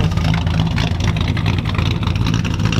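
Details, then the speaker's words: 1966 Chevrolet Impala V8 driving with long 24-inch over-axle cherry bomb glasspacks that leak badly: deep, loud rumble with a ragged, popping, blatty edge; exhaust leak. "Guys on a little trip so you can hear how bad the leaking it is. You'll just be able to hear it."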